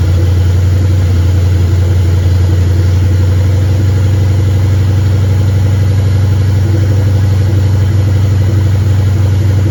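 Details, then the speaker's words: 1959 Ford wagon with EEC wiring, first start with fuel pump ground and relay unhooked: deep, even, steady idle rumble with no misses, stumbles, knocks or smoke; running cleanly. "But it's running. And it sounds good. And it's not smoking. And for all the things that are unhooked on it, it was running pretty smooth."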